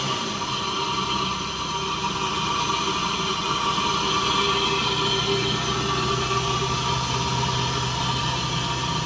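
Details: Lexus GS300, 2JZ-GE, after replacing the leaky ECU capacitors: an even, steady engine note with no misses, knocks or hunting. It now runs better than it did a couple of years ago.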